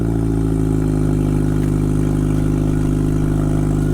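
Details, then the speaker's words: 2000 Honda Accord, F23 inline-four, 150,000 miles, cold start after sitting a week and a half, before tune-up: steady, even low hum, smooth regular beat, no knocks or ticks; normal cold idle. "it is sounds pretty good"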